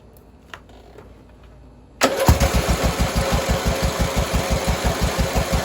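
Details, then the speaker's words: "LT Johnson" with aftermarket carburetor, started for reference before carb removal: uneven lumpy putter of about three pulses a second that only runs with choke on; owner suspects carburetor needs cleaning. "I think I might need to clean a carburetor it only wants to run with the choke on"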